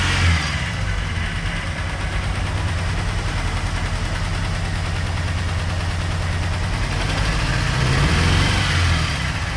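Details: Ford Turbo Coupe turbo parts car, started after fuel added, integrated control module jumped and ignition switch replaced: deep, uneven idle with a lumpy pulse around three or four beats a second; running rough, likely a misfire.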